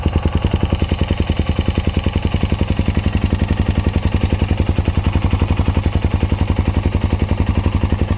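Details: Honda Dominator NX650 RD08 hot idle after new cam chain, tensioner, spring, bolt, cam and rockers: fast, even thump with light clatter from cam chain area; quieter than before, disappears when bike tilted right; cause not pinned down.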